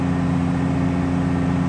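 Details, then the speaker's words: New S&J 4.7 stroker crate engine during cam break-in at 1800 rpm, about 8 minutes left: steady, even hum with constant tone, no ticks, knocks or stumbles; runs smoothly. "Got 8 minutes left on the cam brake in. Boy, that thing sounds smooth."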